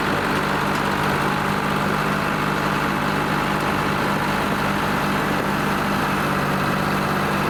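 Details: Lima 34 shovel at its first start-up after repairs, before greasing and digging: steady, even idle with a constant low rumble and no knocks or hunting; the two-stroke diesel is idling healthily.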